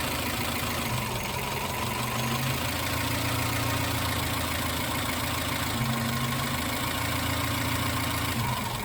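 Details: Suzuki X-90 at idle: uneven, lumpy idle with a faint irregular stumble in the beat, a misfire at idle.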